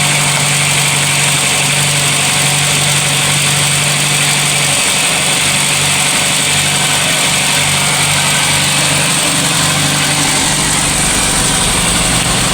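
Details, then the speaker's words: VW Polo Classic after coolant temperature sensor swap, MAP sensor plugged in, cold start warming up (still about 3,000 rpm soon after); even idle with constant hiss, no hunting or surging: normal steady idle, fluctuation fixed. "But it's maintaining a steady idle cold start. Um see if it goes away. Wait for it like stabilizes out. I'll get back to you guys. Sounds much better."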